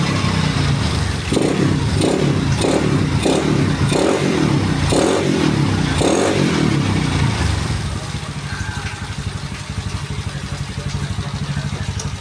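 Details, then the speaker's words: Yamaha Mio bored up to 155cc, standard stroke, 11.5 compression, freshly assembled: single cylinder rasps up through several quick throttle blips, then settles to a steady even idle with no knocks; healthy. "Ya, starternya gampang ya teman-teman, karena kompresinya kecil ya, di 11.5 ya. Coba sekali lagi kita starter. Kondisi mesin halus ya."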